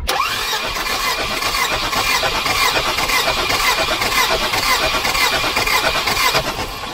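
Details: Volvo 240 Redblock B230 cranking during compression test, camera mounted on engine near fan belt: quick even cranking rhythm; healthy compression, about 170 psi on all cylinders despite piston slap.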